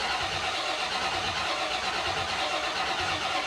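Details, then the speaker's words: 1950 Fargo truck after sitting, with newly wired MSD ignition, cranked with the key on its first test fire: steady, slow starter churn and no firing; likely no fuel in the carburetor, and the fuel filter is still dry. "I'm going to just crank it over with the key first to see if anything even happens there's probably no fuel left in the carburetor because it's been sitting for [Music]"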